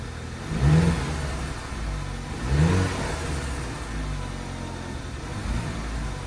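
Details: 2012 Audi Q5 2.0T with 103,000 miles and severe oil consumption, just started after B-12 Chemtool piston soak with old plugs refitted. Rough, lumpy idle surging and dipping every second or two, white smoke, flashing check-engine light; misfire blamed on stuck oil rings.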